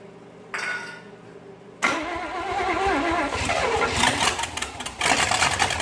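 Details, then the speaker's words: 1956 small-block 265 V8, bought non-running, fed fuel from a bottle after timing adjustment: after starting, note wavers and stumbles unevenly instead of settling; rough running, owner suspects spark plugs or wires, believes it is mechanically fine. "hard to feed it with a bottle to keep it running but um yeah hey it's still got it spark plug or wires or something but yeah at least mechanically we know it's going to be fine"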